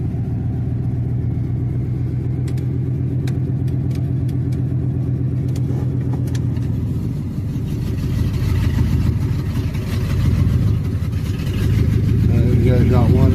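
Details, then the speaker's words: Triton V8 that started missing with no power; plug wires changed and injectors tapped, in low range: deep rumble with an uneven, stumbling beat, hesitating and not taking throttle; still misfiring, cause unconfirmed. "Yeah, it's still missing. I feel it."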